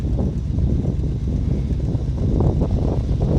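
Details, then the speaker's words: 1978–79 Chevy K20 4x4 automatic V8 truck, revived after sitting about 15 years, smokes, two-stroke gas added: even, low rumble at steady idle, no knock; owner thinks carb bowl fuel is gone and it's running on old tank gas. "It's just idling along. I think it should have run out of fuel in the bowl by now. So, I think it's running on old gas in the tank."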